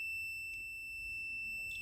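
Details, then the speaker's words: Kaabo Wolf Warrior GT electric scooter with error 30, wiring probed with a meter: a steady high-pitched continuity beep; it is thought possibly to be a capacitor's initial inrush charging, which makes the circuit appear shorted, unconfirmed. "Now, usually a little beep like that indicates or implies or suggests a capacitor being short and then charging up, so it doesn't, you know, the initial inrush of current into a capacitor will make it appear to be short and get that beep."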